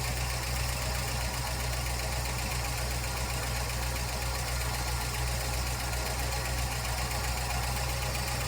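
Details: 1956 Ford F-250 flatbed after ignition tune-up, valve cover off checking oiling: steady idle with a fast even tick about four per second; suspected valvetrain tick, possibly loose valve lash, not confirmed.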